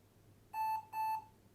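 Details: IBM ThinkPad R40E laptop with Windows XP, flat CMOS battery losing configuration: two short identical mid-pitched beeps at boot, about a third of a second each, in a quiet room; POST settings warning, then asks for date and time.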